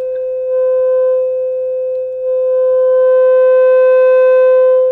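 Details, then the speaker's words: Old single-ended 3 W valve amp converted from a reel-to-reel, signal-generator tone through an external Polk bookshelf speaker: steady mid-pitched tone comes out buzzy and edgy, possibly from overdriving the input with too much generator signal. "can already hear some distortion in that that might be because I'm over driving it this microphone might be small i might be driving it with too much signal on my signal generator"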